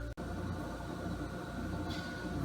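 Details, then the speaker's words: Refrigerator after unplugging and cleaning dust-covered rear cardboard panel that had made it noisy: soft steady low hum, faint even tone, no rattles or buzzing; normal running after fix. "all this was in that on that refrigerator and now it is running quiet oh there's my paper it's running nice and quiet"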